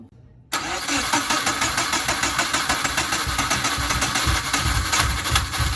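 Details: Subaru GC8 with EJ207 STi shortblock, first start after injector install: starts and settles into uneven, lumpy idle thumping about three times a second; one cylinder bank has never fired, misfiring.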